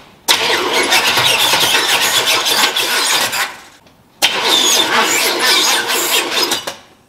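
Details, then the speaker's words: 1977 Chevy Nova small-block V8 with HEI distributor, plug wires checked: two slow, uneven three-second cranking bursts, no start; owner suspects the starter or grounding after doubting the HEI control module. "okay so obviously that's not working so it's cranking very very slowly um it might be an issue with the starter"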